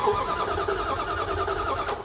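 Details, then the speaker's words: 2001 Dodge Ram, two-wheel drive, 5.2 L, after transmission work, with the old PCM reinstalled: rapid, even starter whirr cycling with compression that never fires; crank, no start; the cluster shows a trans temp message; cause unconfirmed. "So same thing crank no start."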